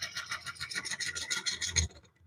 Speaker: I'm actually getting some, because of the way this grain's turning, I'm actually getting some rough spots right here. So that's either harder wood or softer wood. I'm not sure which yet. But it's not turning smoothly.